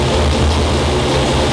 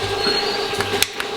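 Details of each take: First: Customer's 340 V8 on the dyno, already broken in and tuned, warmed up before pulls; smooth, even rumble at a steady fast idle with no knocks, ticks, leaks or vibrations. Healthy engine. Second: Engine from an outside builder on the dyno during cam break-in, hydraulic cam that should have no lash, running very lean with vibration: sharp metallic ticks about every third of a second from the right valve cover while cranking, a rocker arm sitting off the valve tip.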